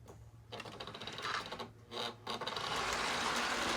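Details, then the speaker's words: 1955 Lionel 736 Berkshire O-gauge locomotive after tear-down and re-lube, running on short track: light even mechanical whirring with steady ticking rhythm; motor runs smoothly. "Loving it. I need a circle so I can run this thing around a lot longer."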